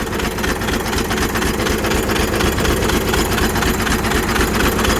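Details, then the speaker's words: Blown 12-valve diesel that ran out of oil and ate its turbo (owner suspects turbo debris entered the engine), idling with the turbo not spinning; a hard regular knock about twice a second, bad enough to sound like a rod about to eject and shake the truck. "she is knocking so bad it sounds like a Rod's about to eject out the block bad Turbo's not even moving"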